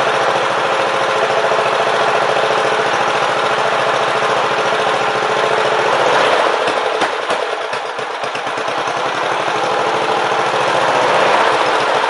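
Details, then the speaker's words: Briggs & Stratton Power Built 12.5 HP flathead Model 28 mower engine, first start after rebuild: a rough, fast thumping that sags and stumbles, quitting when throttle is added; blamed on an old, non-original carburetor, which may end up rebuilt. "you heard it quit a couple times when I try to give a little gas that's in the carburetor that's an old carburetor I've got it's not the original carburetor off the engine"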